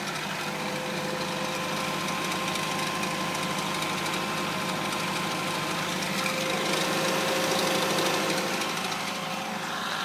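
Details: DS3 THP 155 with 1,200 km on the odometer: light, fairly regular ticking about three times a second over a steady idle hum; suspect abnormal engine noise, cause not identified.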